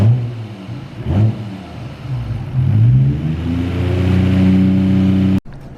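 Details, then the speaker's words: 1990 R32 Skyline GT-R RB26, which had been misfiring, after rechecking the injectors: crisp, even blips, then a steady, smooth high rev with no stumble or popping. Running clean, sounding as an RB should. "that sounds more like an rb is supposed to sound"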